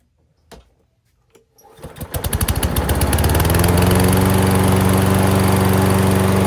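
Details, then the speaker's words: Self-propelled lawn mower, oil looks clean, needing only typical service: after a couple of pulls the small engine catches and settles into a steady, even putter, starting easily. Normal running. "Nice. That one does run. Good. Alright. So this one will be in the line of just typical service. Oil does look clean, so probably don't even have to touch that. But it's a good runner already."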